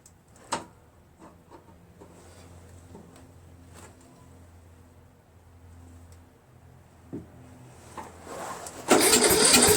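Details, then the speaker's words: Faint clicks then a loud, even churn as the starter spins the repowered engine of a Troy-Bilt 1842 Super Bronco lawn tractor, once the solenoid is bypassed with a wrench; faulty solenoid only clicked, so it needs replacing. "Hey, hey, see that? There we go. It cranks, which means I need to change out the solenoid."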